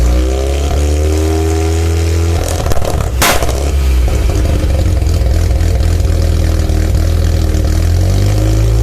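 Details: Mazda RX-7 SA22C with 13B turbo rotary after a cat delete: loud, deep burble with uneven stumbles at idle and a blip of revs. Misfiring.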